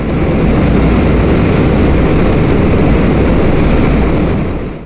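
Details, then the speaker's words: Hydro turbine with 56-pole generator at 107.14 RPM producing 50 Hz, under water flow: loud steady roar with gravelly crackling rumble, possibly gravel or cavitation; strange sound not necessarily failure. "Some of you say this sound is amazing. Some say it sounds like a machine from a nightmare. And here's something important. Not every strange sound means the turbine is failing."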